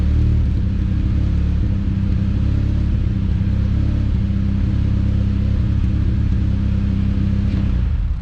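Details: Chevrolet Cobalt SS started after oil change and coolant check: steady deep engine note with low rumble, revs held fairly even and smooth, no knocks or ticks; sounds healthy, normal running.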